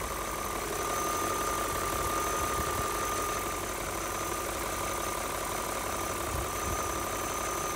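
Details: BMW E39 M5 V8 at idle after oil change and replacement of oil separators and upper hoses (done for black exhaust smoke): smooth, steady idle with light, even ticking rattle, no misfire; judged its normal sound.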